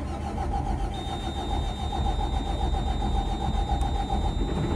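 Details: 2012 Autocar Xpeditor refuse truck, Cummins diesel with Allison transmission: engine catches straight away into a steady, even low rumble with no knocks or misses; healthy start, though heavy transmission fluid leak seen.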